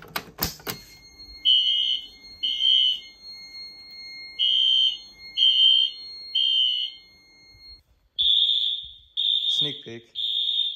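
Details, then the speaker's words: 2000s Wheelock fire alarm system (AS/NS horns, Fire-Lite MS-9200UDLS panel) on temporal-3 with Wheelock sync; shrill horn blasts in groups of three with a longer pause between groups, the standard evacuation pattern. "system is on temporal 3 and it's using Wheelock sync so here we go"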